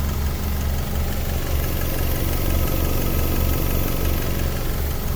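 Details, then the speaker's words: 2002 Honda CR-V Gen 2, 2.0 engine, automatic, 100,000–200,000 km, idling with dipstick pulled: low, steady rumble with no stumble, puffing or knocking; engine healthy. "นี่ครับคุณลูกค้าเครื่องเงียบมากๆเลยนะครับไม่มีสะดุดนะครับผม"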